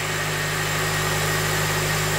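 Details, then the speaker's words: Honda Element after engine replacement, first start: starts right up into an even, steady idle with a smooth low drone, no knocks, ticks or misses, no leaks and no check engine light; running clean and healthy. "that started right up you can definitely tell it wants to live looks good sounds good i don't see a drop of anything coming out of it maybe i did it i did it that is smooth quiet and happy"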